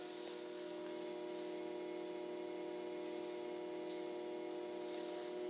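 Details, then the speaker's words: Promethean EST-P1 projector, just switched on, making an unusual loud noise: a steady mid-pitched hum with an even hiss, unchanged throughout, louder than it should be; cause unclear. "Promethean EST minus P1 or something like that, and making unusual loud noise when switched on, as can be heard now."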